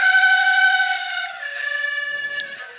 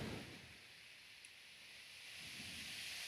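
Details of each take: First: Running condo fan drawing outside air, dirty and a little rusted: loud steady high-pitched squeal from a dry motor bearing that got very hot; later fixed by cleaning and re-oiling the bearings. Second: Floor fan after bearing cleaning and re-oiling, rust cleanup and repainting: spins up from quiet to a strong steady rush of air, no grinding or rattle, slightly faster than before, about 104–107 W; normal spin-up.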